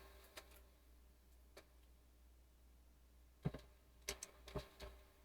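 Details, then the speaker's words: Imation LS-120 SuperDisk drive, bought used, reading a 120 MB SuperDisk: quiet scattered head-seek clicks and short ticks over a faint hum, no scraping or retries; sounds like the other good drive, reading correctly. "Okay, sounds just like the other drive, so it's obviously looks like it's reading correctly."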